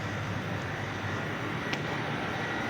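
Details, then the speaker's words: Fried ice cream machine refrigeration unit after repair of a miswired solenoid valve and a damaged sensor; previously ran but would not freeze. Steady compressor hum with a faint constant high tone, no knocks; tray about -19.3 to -20 °C, working perfectly. "equipment already working now to stop 19 gr we have in the original sensor 19.3 above on the tray it is working perfectly almost 20 gr below cer equipment finished"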